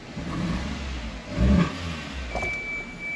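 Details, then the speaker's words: 1998 Toyota Tercel idling unevenly with a brief rev, low drone stumbling from a misfire on starting; no stored code, scanner pointed to cylinder 3; coils suspected, one coil fires two plugs, resistances to be checked. "hay que chequearle las bobina y se siente el fallo de brincoteo no sé si lo pueden escuchar"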